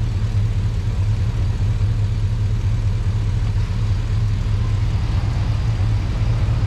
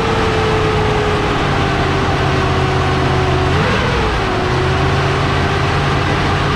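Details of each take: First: Truck after sitting a while, in cold weather: deep, steady V8 idle with no misses, knocks or ticks; a normal idle. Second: Truck that had sat about eight months, first start, 60 psi oil pressure: steady low idle under a loud whooshing roar with a brief pitch dip, like a giant fan.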